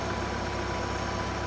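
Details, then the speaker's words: 1970s Mercruiser sterndrive (120hp or 165hp) being winterized in fall, spark arrestor removed, choke all the way on: an even, slightly quick idle with a clean beat and no misses before fogging; runs really good with idle set a little high; normal fast idle. "he running really really good I a little up high right now but I've got it idle little high I can drop it back to low idle"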